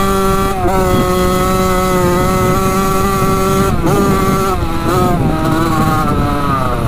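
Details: Rebuilt 1985 Yamaha YZ80 80cc two-stroke, warm, under load on its first ride: a crisp, high buzz pulls hard, its pitch climbing then dropping at each shift, even and strong. The silencer is not working well. A healthy engine.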